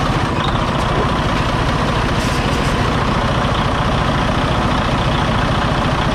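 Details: 2017 Freightliner Cascadia DD15 diesel, ~800–900k miles, losing coolant with blow-by, deleted under a year ago: runs very rough and lumpy at startup, before repair; number 3 liner failed from an over-fueling injector, later overhauled with all six injectors replaced.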